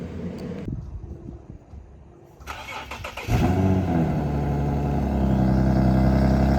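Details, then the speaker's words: 2009 Infiniti G37x, possible muffler delete, cold start: brief crank, catches and settles to a steady, even idle with a deep exhaust note; the nasty rattle it had before is gone, a normal cold start. "it definitely doesn't have that nasty rattle it did before um but yeah guys hope you enjoy and here's the clip the next clip is going to be the clip of the cold start"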